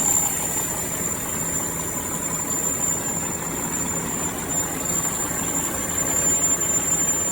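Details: Diesel truck idling after replacing the exhaust gas pressure sensor that set an electrical code: even, steady idle with a faint high whistle and no knock or misfire; runs smoothly.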